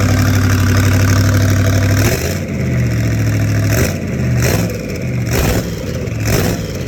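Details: Rat rod small-block Chevy 350 V8 with a new turbo cam, replacing the stock one, said to sound crisper: deep, lumpy idle, then several quick throttle blips rising and falling cleanly, revving freely; normal running.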